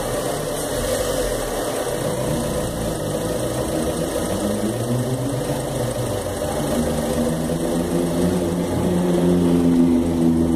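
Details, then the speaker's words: 2013 Fiat Palio Celebration, Fire Economy engine, parked with handbrake on and loaded toward a stall: labouring drone with a rough metallic iron-on-iron rattle worsening as revs sag; also occurs on hills and downshifts; mechanic blames poor-quality gasoline and advises a decarbonizer. "faz um barulho de Ferro batendo com ferro e eu vou tentar fazer esse barulho com o carro parado com freio de mão puxado e depois eu mostro o resultado"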